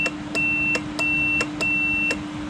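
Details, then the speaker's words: Relay on a 6x6 Land Rover Perentie ambulance tested for a no-start: 12 V applied to coil pins 85/86 and continuity checked across 87/30. A clear beep switches on and off with the relay clicks, so the contacts close properly and the relay works. "So that means that one should be normally closed. We put power onto it. So that one's working."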